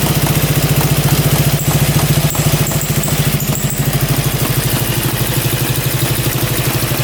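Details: Russian Dnepr military boxer twin sat 30 years in a barn; steady thumping idle with short thin high chirps coming and going; owner thinks a bearing, squeak worsening over time, unconfirmed.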